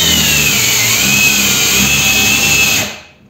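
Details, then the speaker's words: Procraft PW 1100 ES 125 mm angle grinder at speed setting 6 (about 11,000 rpm) under excessive load: high whine sags and wavers, then stops abruptly. Overload cut-out protects the wiring from burning. "то есть проводочка подгорать не будет если пошла нагрузка непосильная этой Болгар очки Она просто сама себя выключает вот и все"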